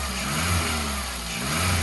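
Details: Skoda Fabia 2 Estate with the long accessory belt removed, revved higher: smooth, even engine hum with no chirp or whirr, so the earlier noise, first thought cam-like, came from a belt-driven pulley, suspected alternator.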